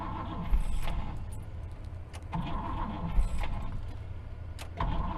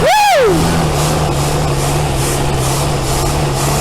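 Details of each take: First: 1964 Buick Riviera V8 after sitting 23 years, float bowl leaking at the carburetor; repeated short cranking bursts cut out as the engine starts to fire because the worn starter's bendix disconnects, battery running down, starter needs replacing. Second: 1964 Buick Riviera that sat 23 years in a field, first start after a starter swap, with gas being fed by hand because it keeps running out of fuel: it catches quickly and settles into a steady, even idle. Healthy start.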